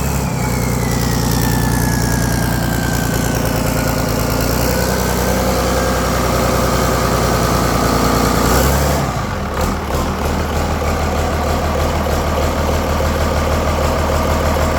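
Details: Volvo Penta KAD42 diesel after complete rebuild with new cylinder liner kit: steady, even idle with smooth low beat, no knocks or misses; normal idle.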